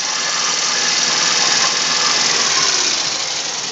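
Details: VAZ 2109 engine: fast, light ticking, about four per second, over a thin hissy engine note; valve tapping from the top end.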